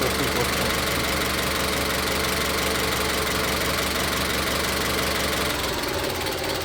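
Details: Engine with a misfire (codes P0300–P0308), power balance test unplugging individual coil connectors: uneven, lumpy idle stumbling about three times a second; the connector test points to cylinder three as the misfiring cylinder.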